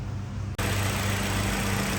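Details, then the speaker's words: 2016 Kia Forte 1.8L at 108,000 miles, just after fuel injector replacement to fix rough idle, fuel-rail whistle and P0272 code: even, steady idle with no misses, ticks or whistle; smoother than ever, healthy. "this is smoother than it's ever been I got the car at 93,000 miles got 108 on it running beautifully we're all done"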